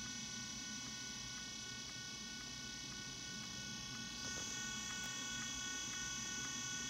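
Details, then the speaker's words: Old iPod with dead battery stuck on the Apple screen: thin high whine with faint regular ticking about four times a second, likely its small internal hard drive clicking and struggling to spin up. "like click and it's like a hard drive stuck like a little hard drive in there just winding"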